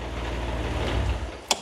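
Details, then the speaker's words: Renault Clio V6 after a misfire repair: smooth, even low idle with no stumbling, then a sharp click. The engine no longer sounds like it is misfiring. "so you mean to tell me if we turn on the engine it shouldn't sound like it's misfiring anymore let me get a key and we'll find out nice that sounds better to me that sounds good oh that sounds nice"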